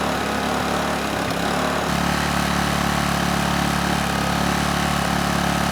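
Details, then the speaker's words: Honeywell HW2000i 2000-watt inverter generator, hard starter: steady, even drone with a firm low hum and no hunting under load; handles 1500 W with rock-solid hertz and voltage, so carburetor not suspected. "once it's running it runs very well it has no issues handling a 1500 watt load the Herz and the voltage are rock solid and it idles down and runs just fine without surging"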